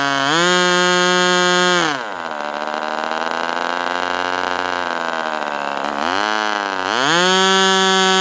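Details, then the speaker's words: Northfield Ross Black Demon 61 model engine with Perry carburetor on its first run, 71°F, just after leaning the low-speed needle slightly: loud, harsh high buzz, dropping when throttled back and climbing again, like a 70s engine; mixture unconfirmed. "It's loud. Sounds like an engine from the 70s."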